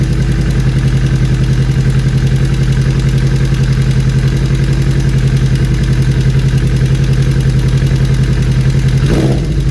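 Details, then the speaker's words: 2013 Kawasaki Ninja 250 Fi (EX250-L), 250cc fuel-injected four-stroke twin, 40,000+ km: at idle, rough loose irregular metallic tak-tak clatter not following throttle, worst stopped at red lights; cam chain rattle from weak tensioner. "Plus kadang ada suara tak tak tak tak gitu yang tidak beraturan, nggak ngikutin suara gas. Jadi ganggu nih, mungkin suaranya kayak gini ya."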